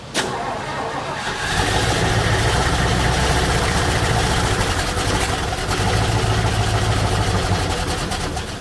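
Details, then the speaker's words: 1972 Mercury Montego MX, with the carburetor spraying gas: a long crank, then a stumbling, surging run with no steady idle. The owner suspects the accelerator pump isn't working and plans to pull the carb. Hard starting, rough running. "Yeah, we're gonna have to pull that carb off and pull that carburetor off of there, see what's going on with it. I don't think the accelerator pump's working."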